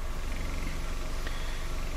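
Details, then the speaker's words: 2004 Toyota Matrix, 111,000 miles, after the idle control valve work: low, steady idle hum with no hunting. Idle is now down from roughly 1050, and the code is no longer pending. "again the idle it's completely different"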